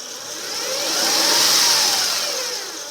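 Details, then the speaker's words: 2005 Acura RL at idle after a rev, microphone near the alternator: a soft high whistle swells and fades over the idle hiss, rising in pitch at higher rpm; owner suspects the alternator. "that last noise that you're getting when it reaches idle, this kind of a small whining noise, is"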